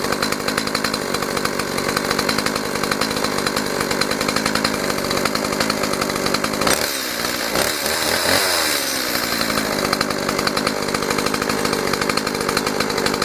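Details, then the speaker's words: Stihl MS 180 chainsaw after carburetor repair, reassembled following a fix for an idle that would not hold and stalled. Crisp, even buzz that picks up cleanly under throttle without stumbling; idle now normal, running healthy. "Ну, я уже проверил, работает все хорошо, и после этого уже решил снять видео. Теперь уже можно отдавать клиенту."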